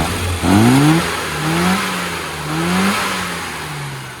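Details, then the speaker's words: Car after tune-up with carburetor needle changed from AAC to AAF: quick throttle blips, engine climbs crisply and drops back smoothly with no hesitation, far better than before. "that's a whole load better than it was before"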